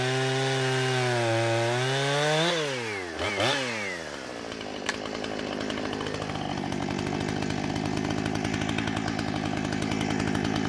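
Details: Husqvarna 455 Rancher chainsaw with about 4 hours total runtime, previously running rough after warm-up, now after ignition coil replacement: high clean scream dropping smoothly as the chain bites, holding steady through the cut without bogging or stumbling; runs right.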